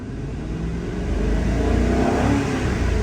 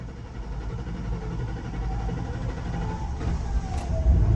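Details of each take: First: 2003 Mercury Grand Marquis 4.6L V8 after replacing a fuel pump leaking inside the tank (pressure was 14 psi, now 35 to 40 psi): revs smoothly and cleanly, no popping, stumble or hesitation, plenty of power; fixed. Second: 2003 Mercury Grand Marquis 4.6L V8, runs rough and stalls, fuel pressure only 14 psi: starter cranks for several seconds before the engine catches and runs a bit rough; fuel pump leaking inside the tank. Long crank due to fuel pressure loss.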